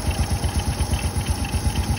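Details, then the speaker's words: Original 110 cc motorcycle engine, described as very quiet running; low, even putt-putt at a steady quick beat with no knocks or rattles — normal idle. "Máy nổ rất im tiếng là hút gió nhé"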